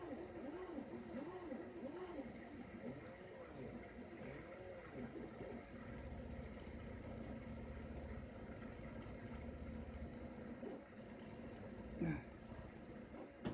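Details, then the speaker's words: Rebalanced rotor drum cylinders freewheeling in an initial vibration and balance test: a quiet steady hum with a slow, gentle waver and no knocking or rubbing. Stability is acceptable for the next stage, with a printer clicking in the background. "pretty bad this one doesn't still going it's freewheeling right now"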